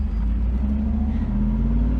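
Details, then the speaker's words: Mercedes 380SL R107 convertible driven top down after replacing a control module with a genuine rebuilt Mercedes unit, following a month-long no-start. Deep, even engine rumble with smooth steady pull and no misses or knocks: normal running. "everything seems perfectly fine and the car is working exactly the way it should which is wonderful"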